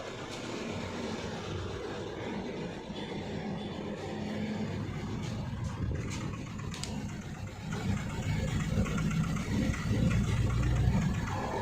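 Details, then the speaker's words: 2012 Hyundai Verna Fluidic 1.6 L petrol at an unstable idle around 1000 rpm, heard at the exhaust: one cylinder misfires, causing irregular firecracker-like popping, two or three a second, and a vibrating silencer. The car also has weak pickup and sometimes stalls. "इसमें पटाखे जैसा आवाज आ रहा है और silencer vibrate भी कर रहा है।"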